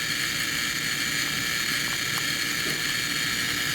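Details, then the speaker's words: High-voltage generator powering a gas discharge tube electron beam in near vacuum: steady, even high hiss and buzz, like a neon light's crackle. This is its normal running noise. "that noise that you hear that's just that high voltage generator if you ever put your ear next to a neon light it kind of makes a crackling noise as"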